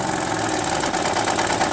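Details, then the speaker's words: 2006 Honda Odyssey with a fast, loose clattering rattle over the idling engine that grows harsher as revs rise. Diagnosed as a timing belt needing immediate replacement; 50% chance the original part cures it, camshafts possibly damaged. "como ven mi gente ahí estaba el ruido cuando acelera viene más ruido de ahí suena más duro"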